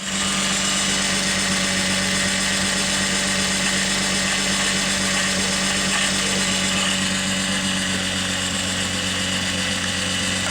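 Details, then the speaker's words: 2006 Nissan Maxima in for a tune-up and a misfire (believed cylinder 5), cold engine coming down off its high idle: loud, smooth, steady beat with no skips; no misfire felt. "i'm gonna let it uh come down off of its high idle because the engine is cold right now feels good i don't feel any misfires"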